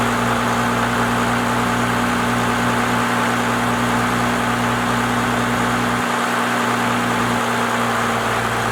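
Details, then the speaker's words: First-gen Cummins diesel truck with a 4-inch straight pipe, after advancing the timing and raising the idle: deep, steady diesel rumble at an even idle with no misses; the idle is now adjusted correctly. "She sounds a lot better to me. Definitely got that idle adjusted to where I think it needs to be."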